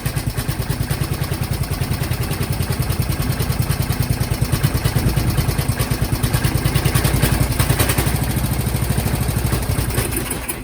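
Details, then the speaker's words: MTD Lawnflite lawn tractor, Briggs & Stratton 12hp single-cylinder, with choke, on slight throttle. It chugs about three beats a second, then fades and dies because it won't take any throttle. The owner suspects a blocked carb jet and plans to remove the carb. "Oh, it doesn't like full throttle. Okay. Or any throttle. I'm thinking that's probably a blocked up carb jet."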